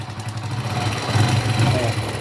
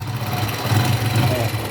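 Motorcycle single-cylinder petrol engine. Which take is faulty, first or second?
first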